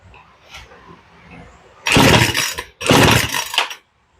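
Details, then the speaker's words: Poulan Pro chainsaw, cold start without choke after carb tuning; two rasping starter-cord pulls with no firing, low-speed mixture too lean to start cold, fixed by turning the low up about a sixteenth of a turn. "I was afraid of that we might not have we might not be giving it enough fuel to start cold now so let's turn the low up just a touch"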